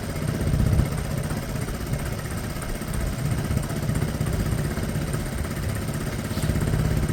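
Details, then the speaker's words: Piaggio Fly 125 fuel-injected scooter after engine swap, fresh oil: low steady idle putter with slight volume rise and fall, no knocks or rattles; smooth normal idle. "that sounds smooth enough I got fresh oil in there two or 3 minutes"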